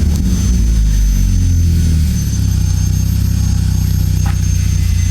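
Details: Toyota Corolla 4A-FE after ECU repair and data cloning that cured an engine-check light flashing and stalling. Started and left to warm up toward normal temperature, it gives a low, steady idle rumble with even firing and no hunting: normal idle.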